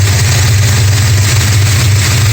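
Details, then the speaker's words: 1969 Dodge Charger 440 V8 still warming up after re-torquing loose exhaust header bolts (#2): steady deep even idle, no clatter or hammering banging heard yet. "I think I might have fixed the problem. We'll see, it's still warming up, but I haven't heard the clatter yet."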